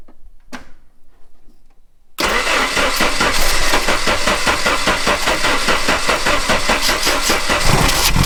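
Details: 1989 Jeep Wrangler YJ with throttle body injector: fires after a pause and runs with an uneven beat only while throttle is held. Won't idle on its own and shuts off without gas; parts ordered.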